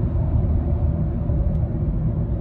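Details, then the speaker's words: 2014 Opel Corsa D 1.4 braking from about 80 to 20 km/h while bedding in new front discs and pads: only road rumble, with no grinding or squeal. The grinding the old parts made is gone. "I think you can hear pretty clearly that that noise that was occurring when I was breaking with the old part is well and truly gone but that's very good news"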